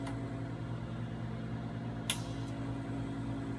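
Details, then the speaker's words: Zeni 5-in-1 cavitation/radio frequency machine, vacuum function running with suction cycling about every 4 seconds: even, steady low electrical buzz and hum with no stutter or dropouts, indicating the machine is working normally. "you will hear a buzzing noise the machine that indicates it's working"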